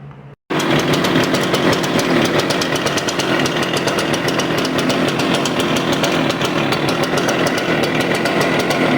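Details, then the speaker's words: Stihl BR350 two-stroke blower backfiring out the carb, after new carburetor, air filter, spark plug and primer bulb: ragged, uneven buzz with irregular pops and stutters; rough running with backfiring. "something well that doesn't sound good I can't believe we just caught that live on"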